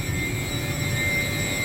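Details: York YK water-cooled centrifugal chiller, normal running: steady high-pitched compressor whine over an even rush of airflow, no knocking or surging.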